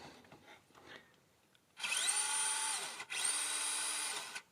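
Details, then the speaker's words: FMS FCX24 RC crawler gearbox in high-speed gear: two smooth, even motor-and-gear whines, forward then reverse, steady pitch with no grinding or clicking; the clicking-grinding appears only in low gear. Normal gearbox operation. "everything works fine job forward reverse this is how it should work"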